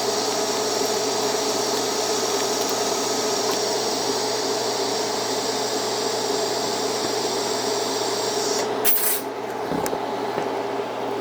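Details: Beginner's first TIG lap joint on cold rolled steel coupons, current raised from about 100 amps to 110: steady, even hiss with faint crackle for about eight seconds, then cutoff. Smooth, stable arc, a little hot but better than the low-current pass.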